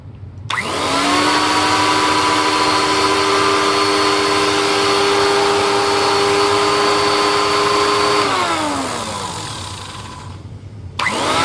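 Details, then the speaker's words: Late-1980s TriStar Turbo Brush, running after rebuild and reassembly with a replacement belt that may not be the correct one: spins up to an even, steady whine with a clean brush tone and winds down smoothly; much better, normal running. "oh that's much better"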